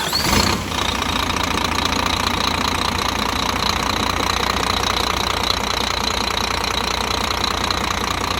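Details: Scania truck, replacement diesel installed after thawing from frost (original DC13 brought in for strange noises and oil pressure light): short crank and catch, steady even clatter settling to idle, no heavy knock; sounds healthy.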